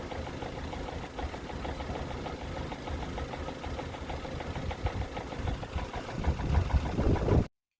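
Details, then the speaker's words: Vauxhall Astra H SRi 1.8 petrol, warm idle 15 minutes in, quiet at first: loud fast knocking rattle from the top end, about four a second, blamed on a worn VVT cam dephaser pulley. "so that was 15 minutes into idle it was quiet at first you can hear all the other sort of little tap you know i'm not interested in that that's all right it's just that sort of loud knocking sort of rattle noise"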